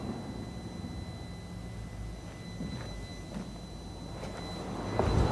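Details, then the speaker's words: Mini Cooper S cooling fan triggered manually through a diagnostic computer; soft, steady airflow rush with a faint high, even whine, showing the fan works normally. "can hear it so that's the fan working that's good"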